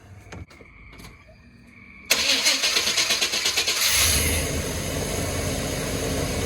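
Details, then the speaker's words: 1994 Chevy OBS C2500, 104k miles, first start after a tune-up with a new distributor rotor, cranked to check the firing order: brief crank, catches cleanly and settles into a steady, even idle with no misses or knocks; it runs. "Success. Well, that's good. It runs."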